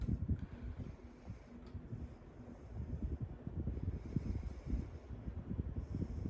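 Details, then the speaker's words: Ceiling fan running smoothly with a soft low whoosh after repair, no clanking or rattling; cause probably a loose light, possibly a loose screw. "What do you know, guys? Probably was a loose light over here, but it could have been one of the screws loose as well."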